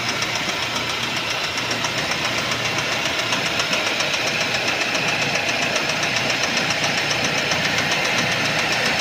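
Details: 2012 Mercedes-Benz C180 S204, M271 1.8 petrol engine (115 kW), 159,658 km; sharp, regular knocking at about four per second over the running engine, caused by a knocking crankshaft.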